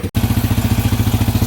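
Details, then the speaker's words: Yamaha Warrior ATV single after carb rebuild, first start attempt, warmed at idle: quick, even thump about a dozen beats a second, steady; normal idle. "this is so cool this thing is running so good"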